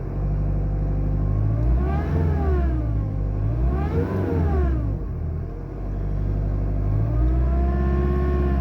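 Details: Mercedes A-Class 1.7 CDI diesel: deep rumble rising and falling through several revs with an odd droning note over it; abnormal engine noise, cause unknown.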